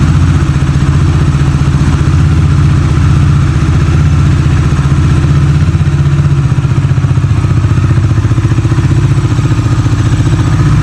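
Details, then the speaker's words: Bajaj Dominar 400 started indoors after about 10 days unused in winter: loud, even single-cylinder thump at a fast idle, steady with no knocks or misses; normal idle. "sesi böyle bu da güzel bir sesi var"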